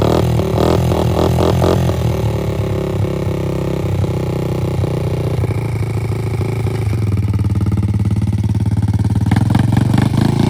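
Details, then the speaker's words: 2003 Honda TRX90 ATV after full teardown and rebuild, with Big Gun Evo exhaust, idling after its first test ride; small single chugs with a steady beat, slight wandering, no knocks or rattles; normal idle. "she's sitting here idling sounds good seems to be running pretty healthy"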